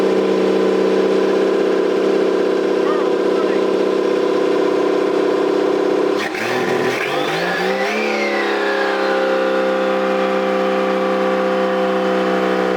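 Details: Toyota 7M-GTE straight-six (MA70 build) after a four-month rebuild, no exhaust fitted, intercooler piping bypassed, no idle air control valve. Raw open-pipe note holding steady, a quick rev midway, then settling back to an even run with no misses; normal running.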